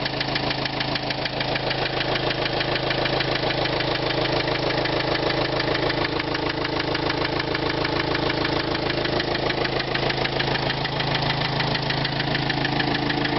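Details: 2005 Renault Trafic 1.9 dCi diesel at idle with a sharp, regular knock of about three per second over the idle; engine knock of unknown origin.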